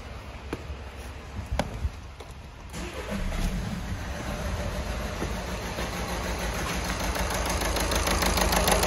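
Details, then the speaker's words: Golf 6 1.6 TDI diesel: just after start, a sharp metallic clatter at about three per second rides over the idle; unplugging injectors one at a time did not change the noise, and one or even two faulty injectors are suspected. "donc voilà là dans ces cas on a bien un problème des injecteurs donc il y en a un ou même deux injecteur"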